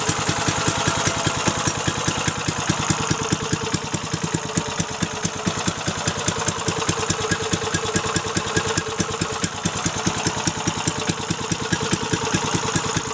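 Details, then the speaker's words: Little-used Briggs & Stratton 3.5 HP single-cylinder engine after carb fix, started with ether, oil clean: crisp evenly spaced firing pulses at a steady smooth idle; runs well. "runs awesome beautiful"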